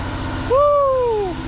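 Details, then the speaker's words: Hellcat engine swapped into a Plymouth Superbird, first start in neutral: deep, even V8 idle with a steady low rumble, no knocks or misfires; engine running healthy. "boy that thing sounds good it does sound good huh"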